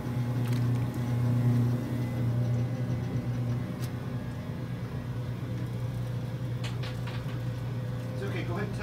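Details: 1978 Kenmore 70 Series washer with a new-old-stock motor, belt and pulley, agitating a small load of whites on hot/warm with a high water level: low steady motor hum and an even rolling swish of the agitator. Normal agitation.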